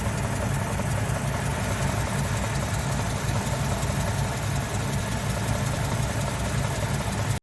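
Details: 2006 Ford E-Series Econoline V10 running very rough with code P0306, cylinder 6 misfire, shaking steering wheel and doors: uneven lumpy idle with a low pulsing drone.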